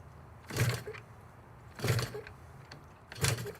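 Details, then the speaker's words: Yamaha YZF R3 race bike with a Banshee two-stroke engine, first start attempt: kill switch on go, fuel on, choke pulled. Three short cranking bursts with no pop or firing; it cranks but won't start, spark check next. "No. Nope. Not even getting a pop or a tingle."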